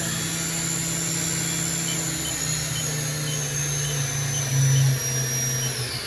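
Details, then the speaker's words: VF-3BYT mill spindle slowing from 10,000 rpm max back down to 3,000: steady high whine sliding smoothly down in pitch, no grinding or rattle; spindle load where it should be; normal ramp-down. "Spindle load's about where it should be. Bring it back down."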